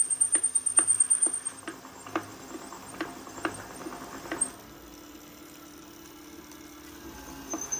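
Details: Bafang BBS02 mid-drive e-bike motor, brake sensor disconnected, braked under load: sharp knocks about twice a second, then only a smooth hum once up to speed or load removed; knocking under load.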